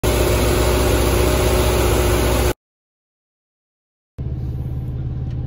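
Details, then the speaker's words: VW engine on a chilly day of about 40 degrees: a quick, even idle set noticeably high with no surging; the owner says timing is fast and is taking it to a mechanic for adjustment. "um you can probably hear from that clip at the front of my engine that my timing is um fast and so I'm leaving right now to go across town to hit up the mechanic for uh an adjustment"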